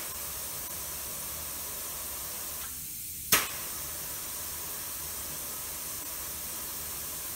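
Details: Hunter 3700 tire mounting machine: steady hiss of air released through the button-operated valve, with a short click and pause, bringing the tire from 36 down to 32 psi; normal deflation.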